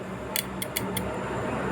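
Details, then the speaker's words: Yamaha New Vixion motorcycle that won't start, starter relay jumpered directly: only four sharp light clicks with no starter motor whirr; faulty starter relay, replaced with a new one. "Kedengeran ya, hanya bunyi cetik-cetik, jadi bendek ini bermasalah ya teman-teman."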